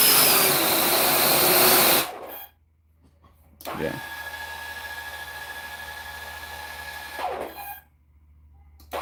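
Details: Custom 3D-printed 70mm EDF quadcopter with brand-new motors. The ducted fan gives a high-pitched whine with a rough, uneven edge that rises and falls between throttle bursts. The owner suspects a bad left rear motor, or 4S motors supplied by mistake. Debris was later seen inside the motor.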